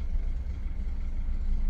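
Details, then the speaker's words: BMW F10 idling on a freshly fitted new battery: steady, even low rumble with no knocks or misses; normal smooth idle. "Isto sad ćemo da ga upišemo, to je da stavimo prvo malo da auto radi, jer mi je rekao ovaj što sam uzeo akumulator da treba da ostavi malo auto da radi jedno deset do petnaest minuta sa novim akumulatorom i onda tek normalno da ga vozim."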